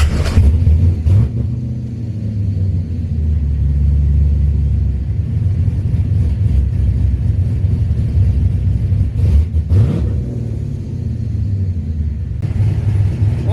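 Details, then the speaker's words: Chevrolet Blazer V8, ignition timing at idle just raised to 15 degrees, giving a deep lumpy idle with cam chop. It blips up cleanly and settles back without the earlier bogging that needed pedal flutter; throttle response is now better and the engine is healthy. "better throttle response, too. Oh, yeah. Now I can gradually kind of push the throttle and it revs up."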